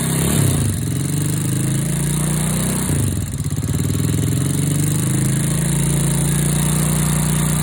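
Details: Honda Wave 100/C70/Wave 125 single after new cylinder, piston, rings, cam chain, tensioner, guides and oil pump gear, first start: quick light ticking over low exhaust thump at idle, valve tapping from loose valve clearance, adjusted by feel afterwards.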